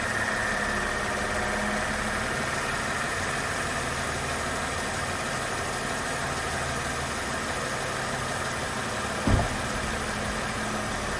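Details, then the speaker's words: 2004 Mercedes CLK 320 W209 V6 idling after an oil and filter change (Castrol 5W30). Smooth, even idle with a soft hum, one short bump near the end and no ticks or rattles: running fine. "Okay, everything is running nicely, everything sounds good, nice as a V6 sounds, and that's pretty much it."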